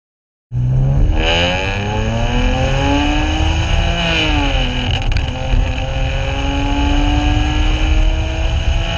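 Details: 2009 BMW 335i (N54) with JB4 map1, intake, intercooler, catless downpipes, full exhaust, and OEM Bosch plugs at roughly 40k miles (gap worn to 0.035"), pulling through gears with a choppy, uneven burble. Misfire from worn spark plugs; car went into limp mode.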